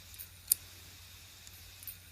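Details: Western Digital 2.5-inch hard drive, thought dead: spins and blinks but heads clack repeatedly, a quiet whir broken by sharp clicks about every second and a half; owner suspects a faulty head, possibly PCB.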